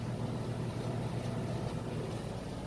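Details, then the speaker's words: Like-new Samsung front-load washer with a load at top final-spin speed: steady low hum with even whoosh, no knocking or thumping; virtually no vibration, very quiet, smoothly balanced, normal. "okay this is as fast as it goes it is spinning extremely fast there's virtually no vibration it's very quiet if you across the room you probably wouldn't even realize it was on the spin cycle"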